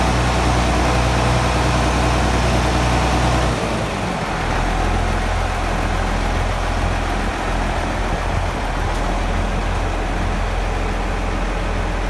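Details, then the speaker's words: John Deere 7520 tractor, first start after 10 to 13 years stored in a shed. Started on the first key turn after adding batteries, radiator water and fuel. Deep diesel rumble settles into a steady, even idle with no misses or knocking. "Started with the first turn of the key, a few batteries, a bit of water in the radiator, and a bit of fuel in the fuel tank, and away it went. So very pleased."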